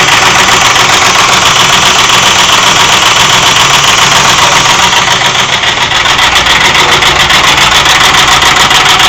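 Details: 2001 Ford F-150 4.6-liter V8 idling steadily with a fast, fairly regular knock of about three or four per second riding over it; the source is undetermined.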